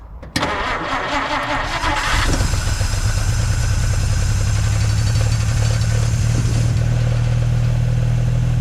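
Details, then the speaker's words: 1950 Dodge Meadowbrook with a 6-volt battery, started after priming the carburetor with gas. Cranks briefly, catches, then settles into a steady, even low idle with no misses or knocks; oil pressure and generator gauge fine, block about 115–118° at the back. "That sounds pretty good. The oil pressure is good and the alternator or the generator gauge is fine."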